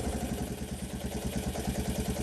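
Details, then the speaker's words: Kawasaki KLT185 three-wheeler single-cylinder engine, long-sitting. Low, steady, even putting idle with no misses or knocks; it idles smoothly. "it's just going to sit here and idle who come on girl no way no way what listen to this thing it is just turnning like a kitten wow man that is crazy"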